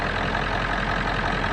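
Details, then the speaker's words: 1997 Ford F350 7.3 Powerstroke diesel started right after an oil and fuel filter service, oil pressure gauge building up; steady, even diesel clatter settling into a smooth idle with no knocks or misses, running healthy. "Jameson fix to Crank It Up watch his oil pressure gauge make sure it builds up hear that power stroke old pressure gauge go up o pressure gaug is up we going to let it run just a second then we're going to check her"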